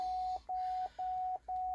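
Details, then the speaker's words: 2011 Cadillac STS salvage car at first start: steady mid-pitched shift-to-park chime, about two beeps per second, repeating evenly; it sounds because the shifter unit is unplugged, which also set a code. "oh now saying shift apart this a shift apart it's probably right here in this this unit right here this unit is not plugged in so that's why it's got another code shift the park"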